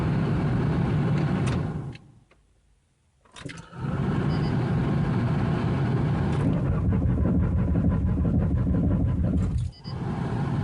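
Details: 1993 Ford Taurus SHO, manual, with its fuel pump, filter, sensors, plugs, injectors, ignition module, coil pack and CCRM replaced. Steady cranking at about four beats a second, a pause, then more cranking, and it never runs. Spark is present, fuel is unconfirmed.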